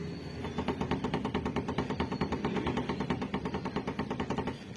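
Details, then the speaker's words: Vehicle with a front-end noise over bumps, which another shop blamed on the whole suspension and wanted to replace everything underneath: a quick metallic clatter from the hood slapping because the rubber hood bumpers are set too low. "Narinig niyo 'di ba? Pag nalulubak 'yan syempre ahampas-ampas yung hood. Akala mo tuloy kung ano yung umiingay."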